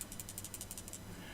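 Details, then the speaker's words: RevTech Nitro 200W dual-18650 vape box mod shaken by hand. Quick, light rattle of about ten ticks a second, then it stops: something loose inside the case, part not identified. "there is something loose and rattling in there. In my personal opinion, that's the sort of thing that will get on my nerves, but nevertheless, let's go through this."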